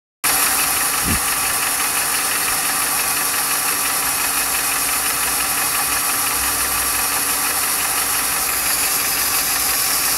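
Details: 1995 Lincoln Mark VIII LSC, Ford 4.6 DOHC V8 at idle: light, quick steady tapping over a hissy background; owner unsure whether lash adjuster tap or piston slap/rod knock.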